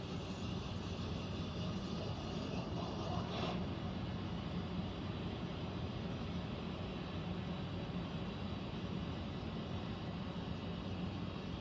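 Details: Central air unit heard in the bedroom, seemingly above the closet, owner also wondering about a leak: constant deep drone with airflow hiss and one brief rattle near the start. Abnormal air handler noise, cause unknown.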